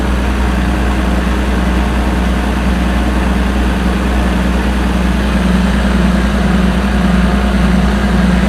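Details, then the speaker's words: Combine 525 diesel after water pump replacement, definitely warm after working hard; oil pressure low at hot idle, higher once cooled: steady even low rumble, smooth idle, no knocks or misses; healthy. "It was good. I always like to have some good oil pressure and good oil flow. That's definitely warm."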